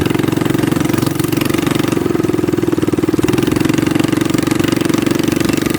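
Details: Baja Warrior minibike single-cylinder engine, throttle stop screw removed for full throttle, after a front fork swap: steady, even putter at constant speed with no knocks or misses; healthy.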